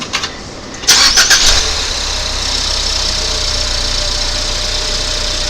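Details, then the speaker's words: 2019 Ford Fusion 2.0 with the belt taken off: brief crank then smooth, steady idle, the earlier noise gone — normal idle, no rattle. "So, hopefully you'll hear that the noise has gone away now."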